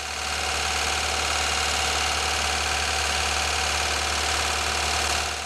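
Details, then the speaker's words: Wrist pin knock: a steady light tapping runs under the engine hum at around 2000 rpm; diagnosed as excessive wrist pin wear. "I've listened while at idle then revved it up I'd say it's a wrist pin nut matter of fact I'd stake my Ripper"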